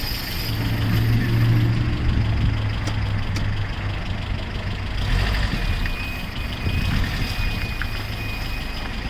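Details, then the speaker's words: 1997 Honda CR-V, engine running, parking brake off: low rough grinding rumble from the worn intermediate half shaft bearing between front left wheel and transmission output; not brakes, wheel bearings or engine; needs replacement. "okay you're hearing that grinding sound it's not supposed to sound like that it's not the brakes it's not my it's not my front bearings it's not the engine"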